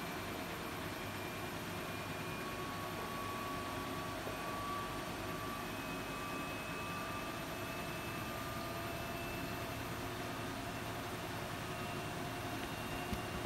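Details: Siemens iQ300 8 kg washing machine spinning at about 1000 rpm with wet laundry loaded: steady rushing hum with thin whine slowly climbing in pitch as the drum speeds up; normal, no fault.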